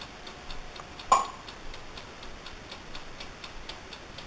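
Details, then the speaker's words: Amaco polymer clay craft oven, brand new, microphone held up close: faint, regular light ticks about three per second over a quiet room; the mechanical timer running normally. "that ticking sound is actually the timer, so just so you don't know."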